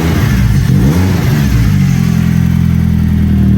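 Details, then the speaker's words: BMW E36 M42 after cleaning the idle air control valve for long cranking. The engine revs up and settles to a steady run with a bit more intake roar, which the owner thinks sounds more intakey; no misfire or knock. "sounds a little more intakey I don't know um I'm Gonna Keep tinkering with it"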